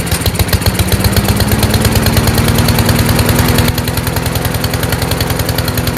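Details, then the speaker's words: Troy-Bilt TB240 self-propelled mower, Honda engine, after carburetor cleaning, restarted warm with the automatic choke still closed; chugs rich and uneven, pitch creeping up, then changes abruptly as the choke opens a few seconds later, with a backfire. Choke sticking closed. "so the choke stayed closed didn't open right away until a few seconds later it opened up again and a backfire"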